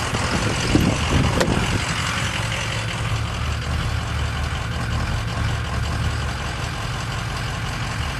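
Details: Ford 6.0 Powerstroke diesel at idle with a bad injector: uneven, lumpy low thrum with a loose irregular beat, misfire from the failing injector.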